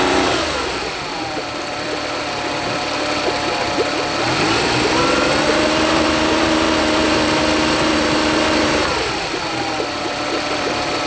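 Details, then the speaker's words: Honda BF40 40 hp four-stroke outboard on a 14 ft boat, topping out near 25 mph: idles fine, then pitch climbs unevenly and it shakes under acceleration; owner suspects fuel starvation, later fixed by cleaning the carbs and replacing o-rings. "it sounds okay if or as long as runs in idle uh it doesn't really shake or anything it doesn't feel like it's missing out but as soon I start accelerating um it becomes more inconsistent and um the engine starts shaking more"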